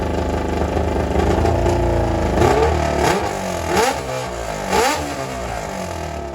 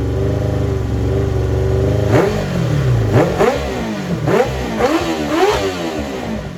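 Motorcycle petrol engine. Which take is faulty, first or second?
first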